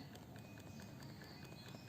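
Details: iPhone 6 after a battery replacement, phone otherwise working normally: quiet, irregular clicking knocks, about four a second, when shaken, from the loose internal battery.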